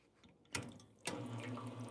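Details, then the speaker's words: Rotary pump of an espresso machine, quiet since the machine was fixed after being loud before. After a couple of clicks, a low, steady, even hum starts and holds smoothly; normal rotary pump running. "And the rotary pump versus gear pumps are completely different sound. Okay, hopefully you can hold on. So here's what rotary pump sound."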